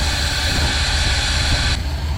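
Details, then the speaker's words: 1970 Ford F100 idling while warming toward about 160 degrees: steady low idle under an even airy hiss that cuts off abruptly; idle air control valve sucking air, not opening right. "what you can hear here though is that iak that idle air control valve it's just sucking air down listen it's not opening right"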